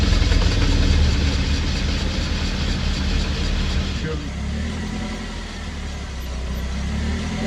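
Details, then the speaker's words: 2012 Suzuki SX4 AWD CVT on jack stands, in gear: a deep, rough droning buzz from underneath as the rear differential nose moves about half an inch, with vibration prominent at low speed; suspected cause is the central propeller shaft joint. "It's buzzing like a bastard. It's moving a half inch, easy."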